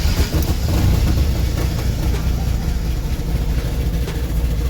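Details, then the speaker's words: '93 Ford EB Falcon, 211,000 km, exhaust still fitted before catalytic converter replacement: deep uneven idle rumble that lumps and stumbles; rough idle, owner suspects ignition timing is off and hopes new cat helps. "So yeah, as you can hear, not running the best. So got a few things to fix up. I'm going to turn down cuz it doesn't sound like it's timed right."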